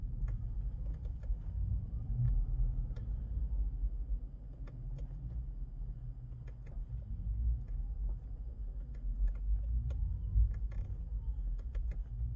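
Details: 2019 Tesla Model 3 at slow speed, throttle released then gently reapplied: quiet road rumble with scattered sharp clicks and light clunks from under the car; something loose suspected, cause unclear.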